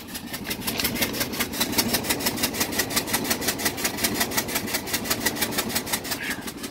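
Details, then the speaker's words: GMC Yukon at a salvage auction walk-through, idling: sharp rapid puffing ticks over the idle with a dead miss, first thought an exhaust leak; suspected missing or blown-out spark plug letting compression escape from the cylinder. "That is a spark plug that is either blown out of the engine or been removed for one reason or another. There is a spark plug missing. It's got a dead miss, obviously, and that is the compression leaking out of the cylinder."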